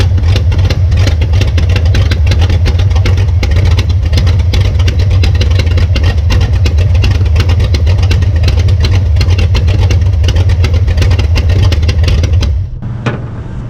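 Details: 1966 Belvedere V8 after swapping a flooding cheap Quadrajet for a rebuilt used Edelbrock carburetor: steady, even idle for twelve seconds then shut off, no stumbling or flooding; normal idle.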